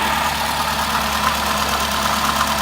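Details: 2006 Toyota Camry petrol engine, during fuel injector testing, idles steadily with a low, even hum and no knocks or misses.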